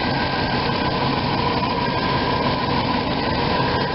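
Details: RV V8 idling after new plugs and wires; previously unseated cylinder #8 boot arced on air cleaner causing clicking and misfires. Now smooth, steady idle with even rumble, no stumbles or skips; running cleanly after the fix.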